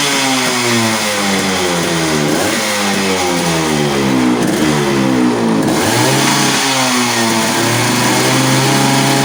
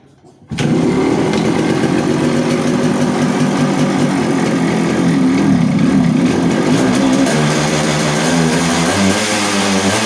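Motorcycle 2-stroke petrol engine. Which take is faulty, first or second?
second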